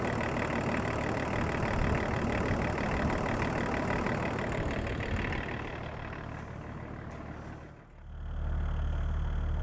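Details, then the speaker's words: 24-year-old Range Rover P38 2.5 litre diesel, abandoned five years, jump-started cold after glow plugs, during coolant refill and bleed: even diesel clatter at idle with a steady beat, no misses or knocks, warming up without strain; healthy idle. "these old two and a half diesels love their glow plugs and here we go can't complain at that"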